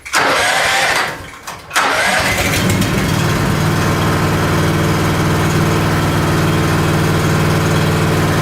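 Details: Engine not run since last spring, started on a cold morning: electric starter whirs briefly, engine catches and settles into a steady, even idle with no misses or knocks; healthy start after storage.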